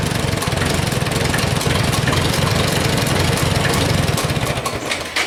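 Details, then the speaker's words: Farmall A tractor with corroded carburettor float-bowl seat: uneven, stumbling beat that falters when revved; misfire on acceleration, plugs later found oil-fouled in every cylinder, engine pumping oil. "Well, it definitely has a miss when you go to try to rev it up."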